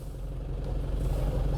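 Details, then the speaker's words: Nissan Frontier pickup after clutch replacement, previously making noise when the clutch pedal was pressed: smooth low engine rumble building gently as it pulls away, with no rattle or chatter; normal engagement, so apparently the clutch disc was the cause, not the flywheel. "O ruim do aparentemente parou ainda não escutou mais Tudo indica que era o disco da embreagem não era volante de Março"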